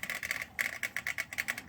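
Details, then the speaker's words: Easy Pool above-ground pool filter pump running: fast uneven dry clicking and rattling with no water flowing through; owner suspects the impeller flopping loose inside. "It just rattles. I'll let you listen to it. That's all it does. Sounds like the impellers just flopping around in there."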